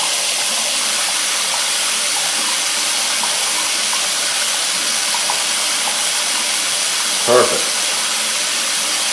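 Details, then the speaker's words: Sink drain after treatment with Drain Punch non-acid cleaner. Steady hiss of tap water pouring straight down with no gurgle or backing up. The drain is clearing freely. "That's how it's supposed to run. No tools, no wrenches."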